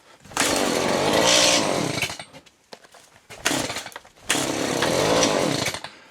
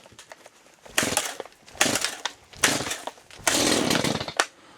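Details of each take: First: Chainsaw cold start after choke released, new fuel filter: bursts to high revs for a couple of seconds then sags and dies, twice; owner suspects new filter still filling with fuel. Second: Chainsaw cold start, first of the day, on full choke: several pulls, each a brief raspy burst as it catches and dies, the normal cue to move choke to the next position.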